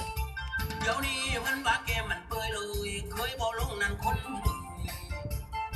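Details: HotRock speaker after repair of a constant hum fault; music plays clean with no hum or buzz between notes, amplifier healthy.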